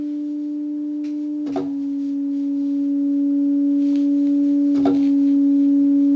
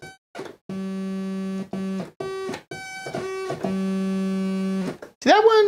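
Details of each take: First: Moog MG-1 synthesizer with no sound: sample-and-hold set to continuous gives a steady pure tone with a couple of clicks that slowly rises in pitch as the held voltage drifts; a leaky op amp is suspected, not confirmed. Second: Realistic Concertmate MG-1 (Radio Shack Moog) after op-amp replacement and reassembly, still needing alignment, now sounding from both oscillators. Clean stepped notes jump in even, in-tune octaves with steady pitch; oscillator tracking correctly.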